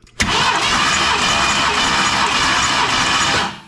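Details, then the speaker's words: 1990 Ford F250 plow truck, 460 big-block V8 that runs poorly, cranking during a compression test. Steady, even cranking for over three seconds, no drag or hesitation; normal starter speed. ">> There it acted normal. Okay, cool."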